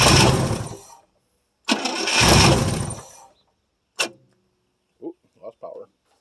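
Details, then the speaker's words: 1973 International 1210 2wd 3/4-ton, 345 V8, automatic, two-barrel carb, unrun nearly two years, cold start with gas poured down the carb: two long cranking bursts with brief stumbles, no catch; no power to the ignition coil. "power and we may not have any juice going from this coil either"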